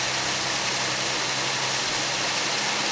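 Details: Pontiac Aztek first start after eight months sitting in pieces; steady, even idle under heavy hiss, no knocks or misses, runs smoothly; smoke afterwards traced to a leaking transmission fluid line fitting.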